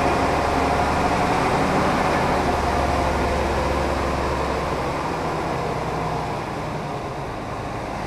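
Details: Mercedes O302 coach in perfect mechanical condition: smooth, even diesel drone with a steady low beat, no knocks or rattles. Healthy running.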